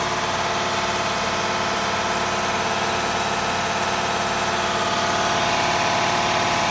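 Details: Detroit Diesel DD engine idling: fast, even ticking puff about three a second over the engine note; hard-to-find exhaust leak with extreme soot build-up, missed by several people. Exhaust leak.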